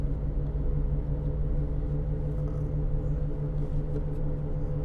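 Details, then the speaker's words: 2008 Land Rover Discovery 3 2.7 TD V6 GS, 104,372 miles: steady low droning hum under road rumble while cruising, no ticking or grinding; front offside wheel bearing, noise changes as steering loads or unloads the wheel. "we've got a wheel bearing noise there yeah definitely definitely wheel bearing it sounds like it's on the front offside"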